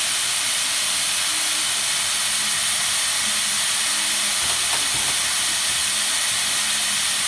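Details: Nuova Simonelli Musica espresso machine after OPV pressure adjustment: the steam wand gives a strong, steady hiss without sputtering or fading. Full steam pressure; working properly after service.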